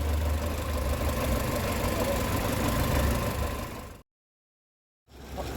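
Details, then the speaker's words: Renault Megane 1 with low compression, warm idle after reaching temperature: steady low rumble with light tak-tak knocking about three per second from the engine; engine ticking/knocking when warm. "derece ortaya Gelince gelince motordan bayağı bir bir ses geliyor abi tak tak tak tak di sesler geliyor"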